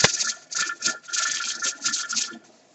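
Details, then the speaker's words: Pressure canner with bean soup just reaching 10 pressure: pulsing steam hiss with faint whistle as the weight rocks and rattles steadily, which is normal. "That's what you want, guys. Now she just came to pressure."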